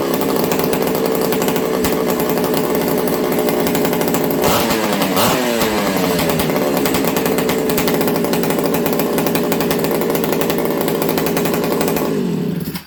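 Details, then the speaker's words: Ported XL 922 Super two-stroke chainsaw, hot, restarted after sitting a few minutes in a cool shop. Steady, slightly fast idle with a crisp popping pipe crackle and a brief blip; normal, idle maybe a bit high. "That crack, friends, it's usually when a pipe goes crack, crack, crack, crack, crack, crack, that's usually a sign that it's going to be happy."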